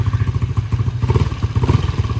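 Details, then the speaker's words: LC135 rebuilt to V8 spec 63 with 20/23 head, 180 injector, 34mm throttle body, Tune Boss ECU, TS Racing 32 exhaust, new coolant and oil: crisp even exhaust pulses picking up cleanly with throttle, no knocks or rattles; responsive, quiet, healthy engine. "So respon ok, cantik. Enjin pun senyap, alhamdulillah."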